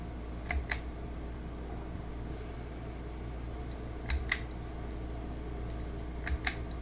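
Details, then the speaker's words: Ceiling fan on high, capacitor already replaced, light works: motor hums and tries to move but blades won't spin; owner suspects bad reverse switch, plans motor swap. "light works just fine I've already tested that and it's it is humming it is humming I can feel"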